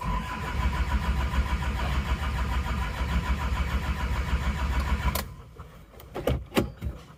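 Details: Isuzu Panther Miyabi diesel after engine overhaul, long rhythmic cranking at about 3.5 turns per second that never catches; glow plugs got no power despite the relay switching on, and fuel had drained from the injection pump to the tank; hard starting.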